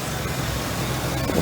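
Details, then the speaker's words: 2006 Ford F-150 4.2L V6, previously misfiring cylinders 2 and 6 (P0302, P0306, P0300) at 45-55 mph, after reconnecting a loose broken wire: even smooth idle, no misfires, no check engine light. Finding: normal idle. "running very smooth. You can tell that no misfires for sure."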